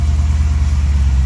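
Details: Chevy square-body V8 truck first started after sitting for years, with the fuel system and electrics revived and the VATS security deleted in the computer: a cold rev giving a deep, even rumble with no knocks or misses. It revs normally.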